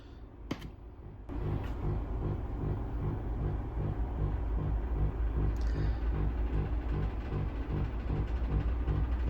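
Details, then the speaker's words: Valve amp with all controls at 0 or 1 and the tremolo switched on by grounding its plug: low steady thumping pulses about two to three a second through the speaker; a 10 nF capacitor to ground is already fitted to reduce it. "so you can hear that it is thumping away."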